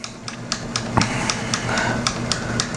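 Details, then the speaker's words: Bench test of a rebuilt mid-90s GM (Cadillac Deville/Eldorado) HVAC programmer. The blend door motor/actuator sweeps full range with even ticking about four per second over a faint motor hum. Smooth, no abnormal noise, normal. "right so as you can see what we always test the full range make sure it sweeps correctly doesn't make any abnormal noises"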